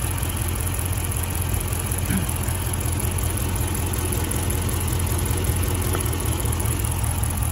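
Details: Dodge Charger R/T at idle during a coil-unplugging test: steady low idle with a slightly uneven, lumpy beat. The test confirmed the cylinder 6 coil pack is bad and causing a misfire.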